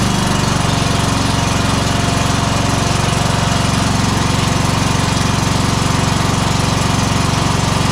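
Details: Exmark 52" Pioneer S zero-turn (PNS720KC523), Kohler KT720 7000-series engine, running rough, low power, popping, bogging under load: heavy steady thump about four times a second, firing on one cylinder; very weak spark points to a failing ignition coil.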